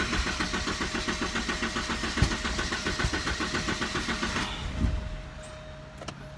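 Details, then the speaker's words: 1988 Porsche 944, fuel pump heard running, DME jumped and AFM unplugged during testing: steady starter chug for over four seconds with no catch; cranks but won't start. "I can hear the fuel pump running just give it a little bit juice see what happens now they're nothing"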